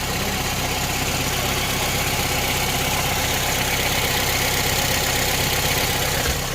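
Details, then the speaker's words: Honda Civic Type R FN2 at steady idle after fitting a sports cat and exhaust manifold, old exhaust manifold gasket reused; raspy exhaust note, no ticking or puffing, no audible leaks though owner not fully convinced; check engine light on from sports cat; normal idle. "so it doesn't sound like there's any leaks in that but i'm still not 100 convinced i'm not gonna lie"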